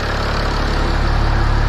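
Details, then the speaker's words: Stage 2 turbodiesel just after ECU reflash, no fault codes; steady even diesel idle, smooth low rumble, no knocks or misses, seems to run smooth; would run better with four-bar map installed; normal idle. "I think we are done can't snapped in place good okay seems to be running smooth"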